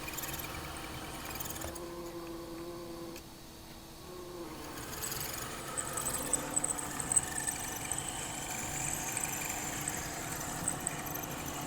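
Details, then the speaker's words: Accurascale Class 60 model locomotive fresh out of the box, microphone placed next to loco: thin high budgie-like chirping squeak over light motor whir; suspected lack of lubrication on axle bearings, motor armature and worm gear shaft bearings, to be oiled. "out the box it seems to be a common issue that they're all squeaking, they all sound like budgies."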